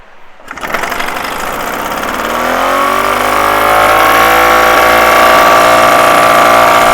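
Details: Solex (Cyclogalet) moped two-stroke after bottom-end rebuild and new exhaust fitted, as the old pipe seemed clogged: fires up into a steady, even buzz rising slightly as it warms; normal running.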